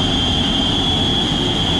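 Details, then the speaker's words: Baldor motor in a kitchen exhaust fan: steady high-pitched bearing whine over the fan airflow; worn motor bearings, to be replaced. "sounds like a cry for help got some bearing wine right here we're going to be changing the bearings out on this ball door motor that's inside here this uh special exhaust fan here for our kitchen"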